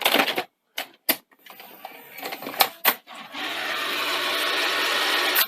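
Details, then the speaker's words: 1982 Sony SL-C6 Betamax, switched off 5–6 weeks, before the belt and idler-tyre replacement. Sharp clicks and clunks, then a rough, gravelly whirr for about two seconds as the tape threads; noisy loading gears. "we still have the noisy uh loading gears which uh we'll have a look at"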